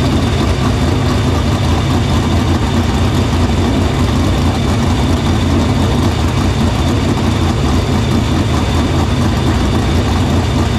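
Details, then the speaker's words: Dirt Silver Crown race car being prepped in the shop for the Sumar Classic at Terre Haute, fire-up after cleaning the fuel filter and lines to the pump and barrel valve; loud, steady low-pitched idle, no stumble or surge, fuel system checked out good. "got the car fired got everything pretty much good fuel system checked out"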